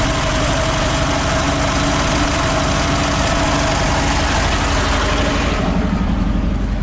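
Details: ZAZ 968M air-cooled petrol engine started after standing idle, fuel pump just repaired, carburettor accelerator pump still sticking: settles into a steady even idle with a fast regular patter, no misses or knocks; running normally.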